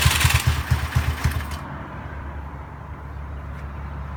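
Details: Honda Zoomer-X scooter after replacing fuel filter and fuel pump motor, fixing hard starting and self-stalling: catches with quick even pulse, settles to soft steady idle; normal start and idle.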